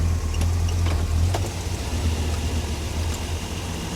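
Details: 1957 Chevy at idle after a roadside repair of a transmission fluid leak on Hot Rod Power Tour. Low, even burble holding a steady beat with no misses or knocks. Normal idle.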